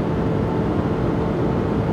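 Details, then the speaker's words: Diesel truck with 180,000 miles on a dyno in gear, tow haul on, under heavy load during P0087 low fuel rail pressure testing; viscous engine fan kicks on at 210, a dense steady roar, fan locked up at high temperature. "You can hear that engine fan kick on at 210. Oh yeah, she's roaring now."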